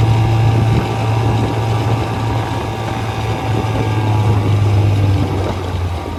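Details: 1956 Johnson 7.5hp AD-10M two-stroke outboard in gear under load on a 14-foot deep-V Sylvan boat, about 8–10 mph: steady, even low drone, no misses or surging; healthy motor pulling cleanly, quiet and reliable.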